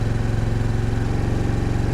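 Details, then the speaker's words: 2022 Honda NAVI carbureted motorcycle, freezing-weather cold start, about three minutes on choke: low, steady idle begins to waver, suggesting it is warm enough to reduce the choke; bike has ongoing carburetor idle issues, suspected rich running. "okay i'm starting to hear the idle fluctuate a little bit so that probably means it's uh warmed up enough that i can drop this"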